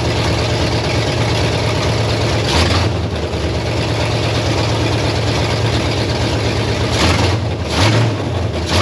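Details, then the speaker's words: 1968 Pontiac Firebird V8 parked 30+ years, running off a fuel jug: deep, steady idle with a couple of short throttle blips, even firing, no misses or knocks; runs healthy. "look got it boys girl she sound pretty good let it run for probably 15 or 20 seconds with the true fuel in it"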